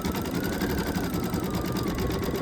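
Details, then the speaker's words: Embroidery machine stitching just after a service: quick even stitching taps about eight a second with a thin steady hum above them; stitching is unaffected, cause of the hum unknown. "But with having that weird noise it's making, like a humming kind of thing. I mean, it just went in for its service. I don't know what that could be."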